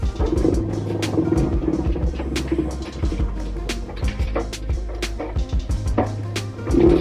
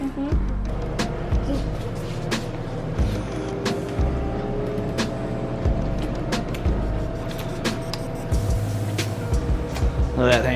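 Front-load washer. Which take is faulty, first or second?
first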